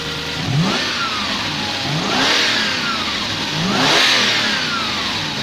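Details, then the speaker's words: Lexus LS400 V8 after new auxiliary belt tensioner, idler pulley and spark plugs, air filter assembly refitted. Smooth rising and falling revs with clean pitch sweeps, no squeal or chirp from belt area; quiet and healthy, normal revving. "Oh all things quiet from the Belt area so there you go it's taken days but we finally got there and I finally got the M Lexus working again good grief the air filter back on it's nice and quiet again"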